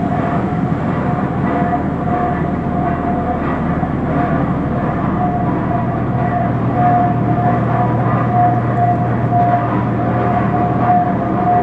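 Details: 1917 Minneapolis 40-80 tractor running for the first time after rebuild: big slow engine plods evenly with a low steady drone and regular firing beat, no knocks or misses.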